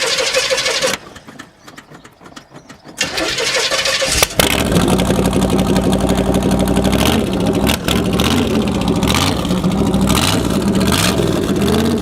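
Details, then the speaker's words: Corvette V8 with the exhaust separated at a joint that always leaked: it cranks, catches and revs with a raw, unmuffled roar that swells with throttle, crazy loud from the open pipe joint. "the exhaust came undone where I always had an exhaust leak but it came undone and it got just crazy loud"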